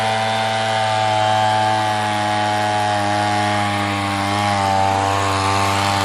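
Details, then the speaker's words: Echo PB-200 two-stroke leaf blower, found abandoned roadside, after cheap fix (carburetor line and bracket refitted): smooth high buzzing note holding speed with only slight sag and recovery; normal healthy running. "well there you have it four dollars and a couple minutes of my time i got a good running leaf blower"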